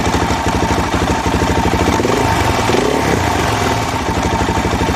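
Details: Suzuki DRZ400 single-cylinder with rebuilt top end, daily commuter: nasty knocking clunk from the bottom of the engine, worsening over time, not cured by higher-octane fuel; found to be loose stator cover plate bolts.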